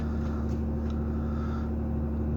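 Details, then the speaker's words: 2003 Ford Taurus SEL, ~215,000 miles, idle air control overspeed error: steady even drone, idle hovering just above 1,000 rpm, about a minute to drop, sounds like a motorcycle; owner says not normal. "you have to you have to it takes about a one minute for the thing to go down so let's see it's just a little bit above the one so i'm waiting here it sounds like a motorcycle when you ride it"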